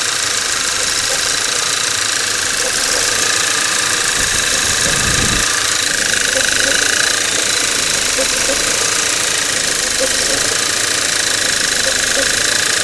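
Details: Skoda Octavia 1.8 TSI, engine built Feb 2012, 17,000 km, mostly highway, no oil consumption: dry, hissing shuffle over steady idle, appearing cold a couple of minutes after start, lasting 3-5 minutes, rising in frequency over time; source unknown.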